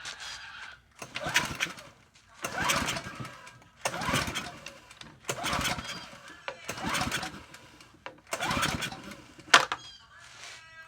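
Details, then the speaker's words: Ryobi pressure washer small engine, pull-started with choke off after fitting the recoil: catches in bursts and dies back, runs but smokes. Oil and gas suspected mixed in the oil. "see all right so it runs it smokes but it runs I think it's got oil and gas mixed into that oil which I got to get out"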